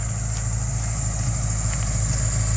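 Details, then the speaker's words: Subaru warm engine holding a steady fast idle with even drone, idle too high after a test drive though it usually idles extremely low; cause unknown. "I took it for a quick whip and the high idle didn't go away which is weird it's never really done that usually idles extremely low"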